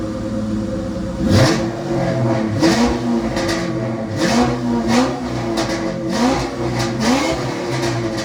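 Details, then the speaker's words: 1996 Ford SVT Cobra V8 after dealer repair of a crank-no-start: catches and revs cleanly in repeated blips, rpm rising and falling smoothly, no knocks or misses; healthy. "oh i've been waiting seven months to hear that thing run again"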